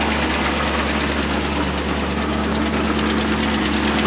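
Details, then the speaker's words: 1964 International 1700 4x4 tow truck, 345 V8 two-barrel, warm idle: steady even low rumble, no knocking or tapping; normal idle. "buring like a kitten sitting here idling all on her own"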